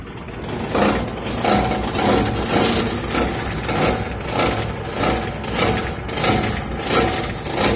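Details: Old car after hitting something on a dirt road: quick repeated revs bring a buzzing rattle and vibration from underneath as the bent engine skid plate (sump guard) presses against the exhaust.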